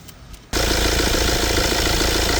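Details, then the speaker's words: Mini Countryman diesel with recurring DPF blockage (codes 497D, 480A, 481A): pressure sensor port cleared of carbon by drilling, idling; quick even chuffing puffs from the port show the passage is now unblocked and flowing. "That is what's coming out. Unblocked, you can hear."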